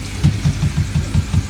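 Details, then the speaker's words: Pond filter pump switched off; right after it stops, a quick run of hollow knocks about five per second as the non-return valve flap rattles on backflow, considered normal. "You can actually hear the non-return valve rattling a bit, but that's pretty normal."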